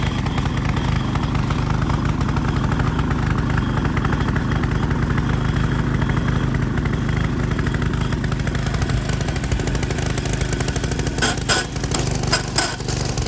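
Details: Vintage MTD tiller 218-430-205, 5hp Tecumseh single, carb air cleaner missing, frozen throttle cable: putters evenly at low throttle, steady firing, no knocks or misses; normal low-speed running.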